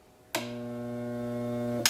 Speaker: and that's all you hear just a buzzing sound and nothing else